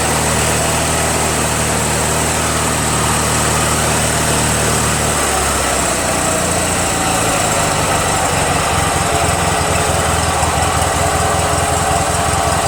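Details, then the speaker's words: Toro 616Z zero-turn mower twin, hot, which sometimes ran on one cylinder (left suspected dead, maybe a stuck valve loosened): steady drone settling to an even, firm beat with no skips; both cylinders working, normal running. "Sounds like both cylinders are working. Sounds great."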